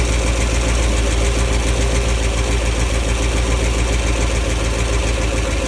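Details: Bertram 28 boat engine with a rebuilt starter, wrong starter fitted for this engine: loud, steady, low cranking churn about three to four beats a second that never catches; turns but won't fire.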